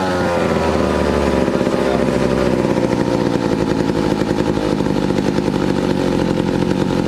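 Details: 1962 McCulloch 1-46 chainsaw, revived after it had no carburetor, now running a scavenged old carburetor and intake part: crisp, buzzy two-stroke note runs steadily and climbs cleanly on revs with even firing, so it sounds healthy.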